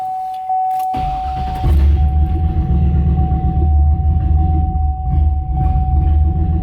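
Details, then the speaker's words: Turbo LS engine on HP Tuners idle tuning from a stock file, fueling not yet right: cranks, catches, then idle dips and surges unevenly for a few seconds; stumble after start. "see how it kind of stumbled like it wasn't really happy"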